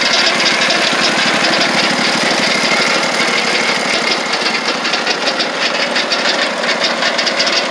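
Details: Lucas Mill 618 sawmill under refurbishment, engine running: right-angle gearbox gives harsh metallic clatter in quick uneven bursts; has oil but lots of gear lash; owner unsure whether rebuild needed or normal.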